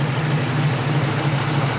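At idle there's a rapid, low puffing chuff pulsing with each firing stroke, typical of exhaust escaping from a leak.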